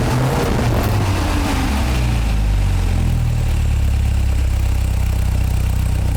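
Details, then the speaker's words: MGA 1600 roadster four-cylinder engine with a newly fitted cheap exhaust system, started on choke: settles from a light rev into a smooth, quiet, even idle; no knocking or water pump noise, timing slightly retarded. "Sounds good. I was afraid I'd hear a bunch of noises. It runs really smooth. Quiet."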